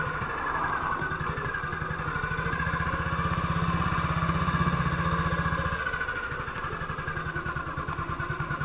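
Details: 1958 BSA C12 single on a road test after its misfire was fixed: it fires regularly and evenly as the revs rise and settle, with no skips or popping. It is a healthy run and sounds like it used to.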